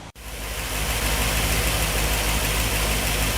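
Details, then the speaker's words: 1964 Ford Thunderbird FE 390, Edelbrock Pro Flow EFI, after fuel mapping changed to fix lean starving: smooth even V8 idle, steady deep throb about three beats a second, no stumble — normal idle. "got it guys I had to make a call to uh edel Brock and we had to changed the fuel mapping a little bit it was starving itself essentially but oh yeah sounds good"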